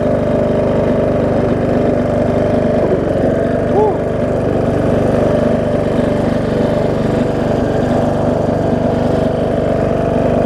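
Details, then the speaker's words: John Deere D110 mower engine test-running after a full rebuild with a new head gasket, done after a detached flywheel magnet was found: constant mid-range drone at one speed, no tapping, miss or surge. Possible valve-cover oil leak, maybe just burn-off. Normal running. "whoa i said seems to run good"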